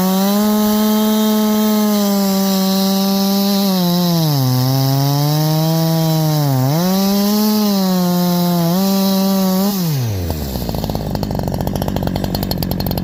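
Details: Holzfforma G372 chainsaw (Farmertec clone) after crankshaft seal replacement for a factory air leak that kept it from tuning, OEM carb fitted earlier; 24in bar, cutting hemlock: strong clean howl sags briefly as bar bites, recovers without bogging, then winds down.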